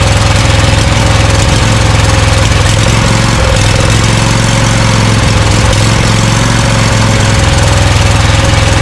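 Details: Scag Cheetah mower with Briggs & Stratton Intek V-twin from a Craftsman: loud, uneven, stumbling idle with dropouts as one cylinder misfires; dirt found in intake, left carburetor side suspected; a cheap replacement carburetor for the 791230 is being fitted.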